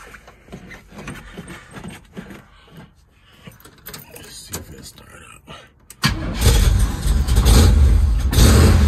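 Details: 1973 Chevy Nova V8, converted from EFI to a Street Demon 750 carburetor, cold and unstarted for days: catches suddenly, then a loud, uneven, loping idle; rough cold start and idle.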